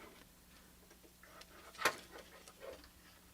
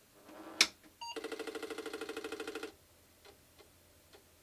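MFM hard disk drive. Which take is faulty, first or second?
first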